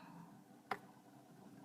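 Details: 2012 Ford Focus Titanium, push-button start, in Park, morning: one short sharp click when start pressed, then no cranking at all; no-start, cause not found.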